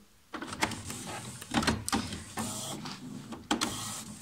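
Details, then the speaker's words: HP Photosmart 5520 printer, service station access switch bypassed: carriage jams toward the rear with rough grinding bursts as it reaches the rear; sheared teeth on the service station rack, causing carriage jam errors. "you can see it's jamming to the rear and it's grinding when it reaches the rear"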